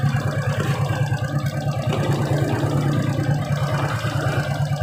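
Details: Suzuki Shogun 125 idling with battery removed after regulator/rectifier replacement, CDI feed now about 5 V instead of 2 V: steady fairly even idle about three beats a second, no misses; healthy.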